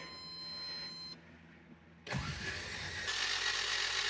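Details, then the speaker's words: AE86 engine, first start attempt after wiring, fuel pump and clutch work: after a buzzer it spins over fast and light with no compression and no tach movement, never fires; black chunks found underneath, likely a broken timing belt. "That No, no, no, no, no. That doesn't sound right. The tack wasn't moving. And that was uh that was spinning too quickly."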